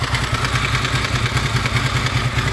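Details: Honda VFR800 VTEC V4, 58,200 mileage reading, at idle: metallic clatter pulsing over the exhaust beat, heard mainly from the right side and front cylinder, comes and goes; timing chain later replaced.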